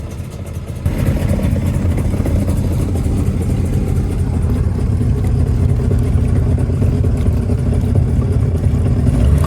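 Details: 1996 Tigershark jet ski two-stroke, revived from non-running, started cold and left idling while cooling water line temperatures are checked. It settles into a steady, low, even idle burble: a normal idle.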